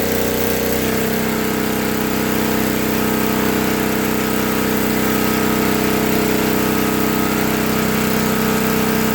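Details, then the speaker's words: 1964 Lincoln Weldanpower 150 AC welder/generator (year guessed) at high rpm welding 6011 rod after a new coil, condenser, plug, plug wire, fuel line and filter, and reset points. The magnet had been rubbing the coil. Steady single-cylinder drone, firm regular firing, no knocks or misses. Healthy. "so this is the welding power 150 ac welder i'm going to crank her up the rpms and then i'll show you how to weld it"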